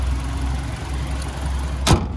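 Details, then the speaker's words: 2019 Hyundai Kona Elite, 21,000 km, serviced, bonnet open at idle; steady low even hum with no major knocks, rattles or squeals, one brief clunk near the end; engine healthy. "But also we listen to that engine just ticking away nicely, no major knocks, rattles or squeals."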